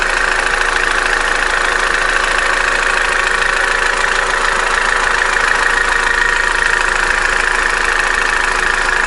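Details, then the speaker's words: Opel Corsa D A14XER, 65,000 km, codes P0011/P0014, noisy during warm-up and sometimes stalls hot: a fast, even rattle at idle from one side, likely a stretched timing chain or tensioner. Suspected low oil pressure; twinport flap ruled out. "так система twinport здесь ни при чём дело не в заслонка стучит где-то вот с этой стороны такое ощущение что недостаточное давление масла"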